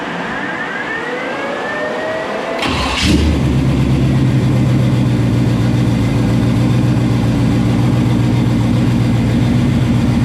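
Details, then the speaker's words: 1965 Chevy II Nova wagon with 700R4 automatic: a brief crank, then a steady, even idle with a deep, echoey rumble from exhaust dumping under the car; normal start and idle. "But I mean, hey, right now it sounds good. I like it."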